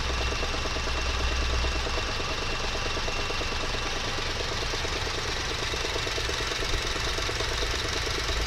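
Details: 2009 Honda R20A3 engine: rough, uneven, lumpy knocking rattle under a steady idle; fixed by replacing the worn air conditioning compressor clutch bearing (35x55x20).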